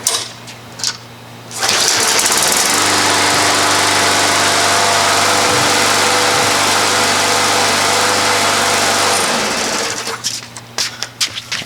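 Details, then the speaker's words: Free Murray walk-behind lawn mower after replacing a faulty primer bulb, primed a few times: catches on the first pull and holds a steady, even drone for about seven seconds; normal running, primer was the fault. "well that was it then just the uh the primer thing was messed up"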